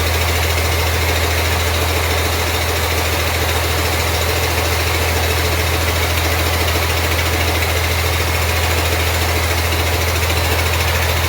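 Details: 1948 Ford F6 COE rat rod with 190 HP 5.9 Cummins 6BT (from 1994 Ford F700), P7100 pump, #10 fuel plate, first start-up: steady even diesel idle with heavy drone; loud clatter is the air compressor. Not smoking much; engine healthy.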